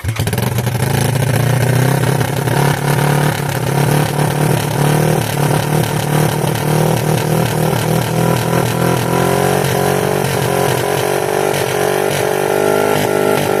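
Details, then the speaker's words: 1986 Yamaha YFM Moto4 200 ATV after carburetor work, with a very rusty throttle cable: single-cylinder revs wander up and hang instead of settling to a steady idle, as the throttle sticks. It needs a new throttle cable. "Don't like that throttle, man. It's getting stuck or something."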